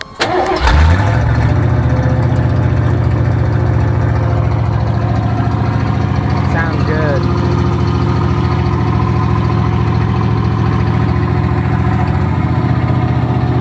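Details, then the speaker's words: Vehicle engine start-up after exhaust work was finished; cranks, catches quickly and settles into a steady even idle with no knocks, ticks or exhaust-leak puffing; sounds great and healthy. "Sounds great."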